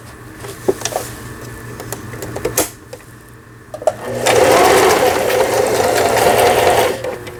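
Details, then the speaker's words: Juki HZL-series household sewing machine after repair of feed regulation cam and bobbin case, zigzag stitch test; quick even needle chatter in a steady burst, no knocking or grinding, smooth and healthy. "네, 지그재 바느질이 정상적으로 되고 있고요."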